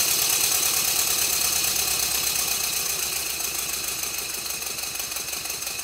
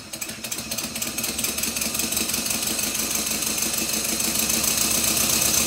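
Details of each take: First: Rebuilt Stuart Twin Victoria model steam engine, baseboard on bubble wrap, after a minor timing tweak, re-oiling and silicone O-rings fitted to the crossheads: even chuffing about three beats a second, no knocks or rattles; running smoothly. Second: Stuart Twin Victoria model steam engine, newly rebuilt and still stiff, run on compressed air; quick, slightly uneven ticking near four a second from a crosshead pin working loose again, later fixed with thread lock.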